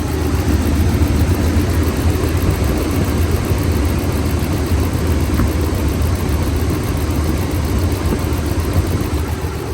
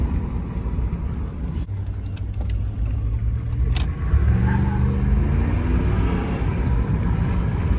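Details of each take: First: 2014 Ram 1500 5.7 Hemi with P1416 and P0306 codes, after replacing cylinder 6 MDS solenoid, lifters checked good: deep V8 idle with uneven loping beat, no knock or tick; cylinder 6 misfire traced to a loose new spark plug. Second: 2014 Ram 1500 5.7 Hemi V8 after fixing P1416/P0306 cylinder 6 misfire (MDS solenoid replaced, loose cylinder 6 spark plug tightened): climbs smoothly under throttle with no stumble or miss; runs perfect, no engine lights.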